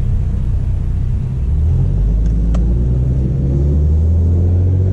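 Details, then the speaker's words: Infiniti G37 idling after new valve cover gaskets and spark plugs, existing exhaust leak untouched: deep, steady rumble with no stumbling or uneven beats; runs smoothly without misfires. "I guess I can start it since you guys didn't hear it start I wasn't recording an exhaust note"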